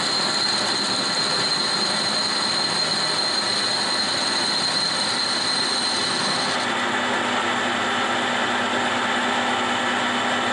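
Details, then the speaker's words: Boring bar machining old railroad switch parts for reuse. A steady, high cutting squeal drops abruptly to a lower drone as the cutter hits a hard spot in the metal. Boring bar chatter at a hard spot. "You can clearly hear the hard spot here in. But it is what it is."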